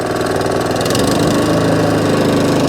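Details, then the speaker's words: Allett Kensington 20K cylinder mower, Kawasaki FJ100 engine, after carburettor and fuel system clean for hunting and surging: steady, even running with no hunting or surging at low or high revs. "the alec kensington 20k now all up and running with the kawasaki engine running exactly as it should do no round no hunting and surging at low end no hunting and searching at the top end"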